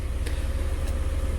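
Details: 2012 Kia Soul 2.0 L, after a no-crank/no-start with P0705 transmission range sensor code, starter and relay already replaced elsewhere, fixed by reconnecting an unplugged connector; smooth, steady low idle hum, even beat, no knocks or hunting. Normal idle.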